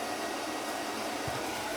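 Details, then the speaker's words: Oil boiler won't fire: only an even power-venter fan whoosh with no burner light-off. Power reaches the primary control, and the burner ran with the control jumped out. After changing the CAD cell it still didn't fire, confirming a bad control; its protector relay 32819 was recently replaced. "We got power going in, but it's not firing it. Oh, we got a bad control."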